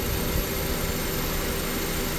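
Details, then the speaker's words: 2001 Honda Civic after fixing idle surging: stuck idle air control valve cleaned with brake cleaner; steady even hum, idle smooth without rise and fall. "well I got her back together it's running like normal that's all it was that thing was stuck"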